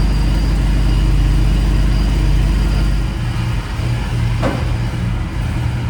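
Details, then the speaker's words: 1994 Chevy C3500 dually with a swapped LQ4 V8, just fitted with a Y-pipe that has gaps. A loud, lumpy idle with uneven low pulses and a dip partway; still running rough, with a wiring or injector issue suspected. "Well, it sound a little bit better. Still sounds bad cuz it's not running right, but try to get it out of my dad's shop, I guess."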